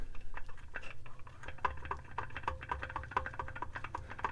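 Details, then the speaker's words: Ported, piped 82cc Homelite Super XL-925 chainsaw after little running: loose, uneven clicks and light clatter, roughly one or two a second, as the engine is pulled over slowly by hand; play in wrist pin, connecting rod and crankshaft bearings, all worn. "you hear that all sorts of play going on in the bearings and i'm going to be tearing this down here to see to see the damage"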